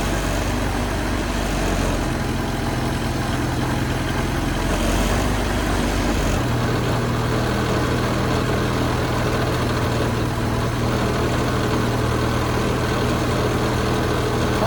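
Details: 1974 Toyota Celica 18RG engine after replacing seized water pump, thermostat and flushing the block: smooth, even idle with a steady low hum and no squeal or knock. Normal idle.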